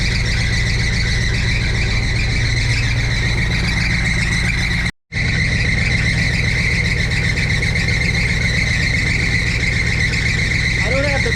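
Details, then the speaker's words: 1962 Chevrolet C10 V8 idling warm at about 180 degrees, oil pressure 50: constant high shriek over the idle that doesn't let up; alternator belt slipping, needing tightening, belts later replaced. "Gotta tighten that alternator."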